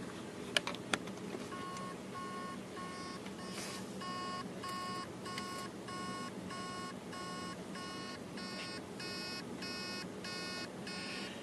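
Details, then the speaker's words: Hard drive on power-up beeps steadily, about two buzzy tones a second, as the motor fails to spin the platters, most likely heads stuck on a platter, possibly a seized bearing. "you can hear the beeping noise that's basically the mortar is trying to start the platters and it can't and it's most likely because the heads are stuck on a platter"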